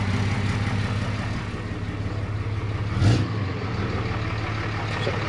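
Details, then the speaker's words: 2013 Ram 2500 6.7L Cummins diesel after replacing the failed turbo (bad VGT actuator) with a BD Screamer HE300VG turbo and new exhaust manifold: low idle with one quick rev blip, rising and falling cleanly, no whistle or rattle, no boost yet; normal. "Sounds pretty normal. No boost occurring yet."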